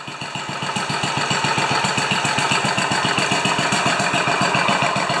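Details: 10 HP Kohler K241 single-cylinder engine idling after installing a modern plastic fuel pump: steady, even thumping about four beats a second with no knocks or misses; healthy idle.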